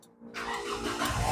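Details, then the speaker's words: Naza Citra after repairing the chafed injector wiring under the bracket and replacing the faulty electric fuel pump motor: brief crank, then the engine starts quickly and settles into a firm, steady, even idle, a clean healthy start. "Sebab electric pump dia rosak nih, sekarang hidup, engine steady."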